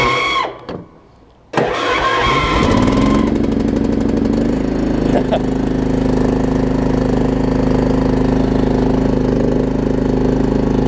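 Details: Troy-Bilt Pony riding mower, Briggs engine, after tightening a loose starter solenoid connection and fitting a good battery: brief crank, quick catch and rev-up, then a steady, even idle with no surging; normal start and idle.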